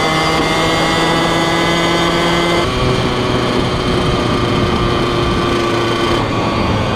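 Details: 2003 Kawasaki KX100 junior motocross two-stroke ridden under load: crisp, high-pitched ripping sound with pitch shifting as the rider works it; fast, super punchy power band, sharp and healthy engine.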